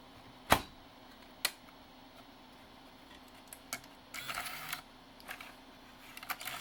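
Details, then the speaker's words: NEC-based CD-ROM drive (Intersect CDR-84) with a weak laser, running after lens cleaning and with shields refitted: irregular clicks and short buzzing bursts of head seeking over a quiet spin hum; servo instability. "yeah this is being weird yeah it's got a Servo issue for sure"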